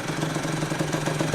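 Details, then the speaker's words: Freshly built Yamaha YZ85 two-stroke with new crank, still breaking in, coolant circulating: short burst of quick, even popping at idle, no misses or rattles; normal idle. "Seems idle pretty good. Still breaking in too, so the motor sounds good, everything sounds awesome."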